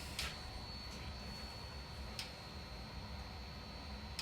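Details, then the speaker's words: 2011 Hyundai i10 1.2 with P0011/P0014 codes, scan-tool oil control valve actuation test with ignition on and engine off: a sharp single click about every two seconds, felt by finger and stethoscope; the intake cam timing oil control valve switches on command. "so we'll start it start again we he that clicking I hear clicking already hear that that one put your finger in"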